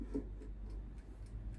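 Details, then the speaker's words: Philips NA120 air fryer powered on and set to 200 °C with the timer running: only the timer's steady tick, no fan whir; a worn, cracked plastic basket switch actuator fails to reach the switch, so fan and heater don't run. "Nu se aude zgomot de la ventilator , dar cronometrul ticăie."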